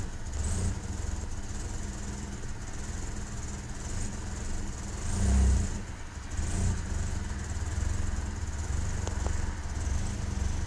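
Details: Toyota Camry engine idling unevenly with a stumbling beat; it swells on a brief rev then sags back rough, indicating an engine misfire.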